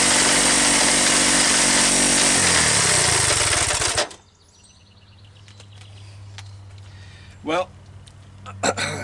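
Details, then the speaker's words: Worn Honda ATC125 ATV single-cylinder after a death rattle and stall: harsh rasping grind with fast regular chopping beat about four per second until it cuts out; internal grinding noise, source uncertain, engine likely needs rebuild. "good news is that it started the bad news is it sounds like i'm uh i'm chopping vegetables we're actually chopping something with bones in it"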